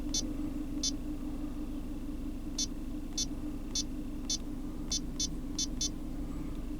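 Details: GM Cruze after fuel-trim and O2 adaptive reset and relearn: smooth, even low idle rumble with no misses or shake, scan tool chirping in the background; engine idles normally, long-term trim now within ±10.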